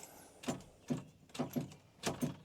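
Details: Old yellow farm truck pulled from the weeds: several single sharp clicks with no cranking between them when trying to start; owner suspects a stuck starter.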